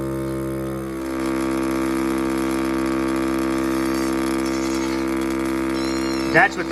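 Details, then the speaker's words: Amazon goat milking machine: motor hums steadily, dips briefly, then climbs back to a constant drone with pulsation switched on. The pump pulls air from the canister to create suction on the milk hose. Normal pulsation. "Turn it on, turn it up. I'll turn the pulsation on so you can hear it pulsate."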